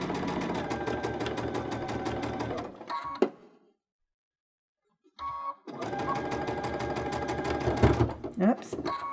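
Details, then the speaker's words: Baby Lock Unity sewing with a 3-groove pintuck foot runs in fast bursts with a heavier, uneven thumping as the cord catches under the foot and the needle sews through the extra thickness. "did you hear that thumping sound that's because my cord caught underneath there and it was making it a little bit thicker um it was sewing through the thickness of that"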